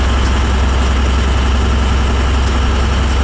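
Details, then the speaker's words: Oil burner making black soot and black chimney smoke, tripping out; deep heavy roar with uneven lumpy pulsing, choked up, coughing, spitting and sputtering instead of a steady flame: burner sputtering. "the sounds take it all upon the vacuum it all choked up trying and just coughing and spitting sputtering there"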